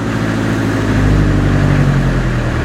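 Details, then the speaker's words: 1986 Ford Escort diesel after fuel system repairs for stalling and no throttle response: steady low rumble holding 700–800 rpm as the pedal is fully released, not yet warmed up, no stumbling or dying; healthy idle. "afraid it might not start again if it dies alright my foots completely off and she's at seven to eight hundred so I think I want to just let this warm up for a while just to see what happens"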